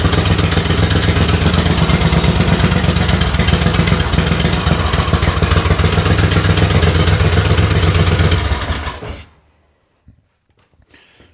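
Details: Race tractor engine started after the coil ground kill wire was hooked up: loud, fast-firing, crackling bark for about nine seconds before cutting off, though said to be quieter and more manageable than before; loud exhaust.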